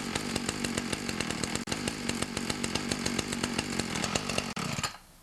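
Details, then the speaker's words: Ryobi 31cc two-stroke mini cultivator after the low (L) carb screw was turned out 1/8 to 1/4 turn: crisp, even firing holding a steady fast beat for about five seconds. It runs well, with no stumbling. "Run good with just that tuning. Basically all I did is turned out the L screw about 1/8 to 1/4 of a turn"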